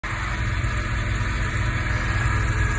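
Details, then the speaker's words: Mazda RX-7 FD3S series 1 rotary idling with a faint steady whine over the rumble from a noisy power steering pump, age-related; pump to be replaced with a rebuilt unit. "アフリの闇ですえパワーステのポンプからですね音が出てますえ多分こういう音がする前に小さな音がすると思うんですけどもえこの車両は1型ですえ"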